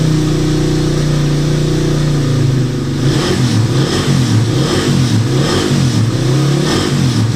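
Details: Motorcycle with noisy engine after new timing chain and guide, shims and reset tensioner: steady even idle then clean revs, no ticking or rattle from the top end; engine now healthy.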